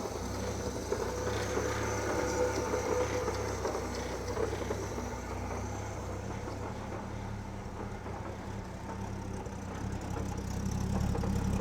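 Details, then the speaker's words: Old Austin tipper truck in a shed, idling: low, steady, even rumble with no knocks, misses or rattles, super quiet with no smoke; normal idle, though it blows a little on throttle and sometimes knocks. "Super quiet old truck, no smoke."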